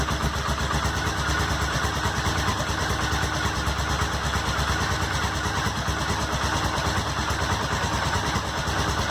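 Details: Honda SuperHawk 996 (VTR1000) V-twin just reassembled, fresh coolant: lumpy, loping idle with a steady uneven beat, no knocks or rattles; normal warm-up idle, though coolant climbed quickly to 102 and smelled hot.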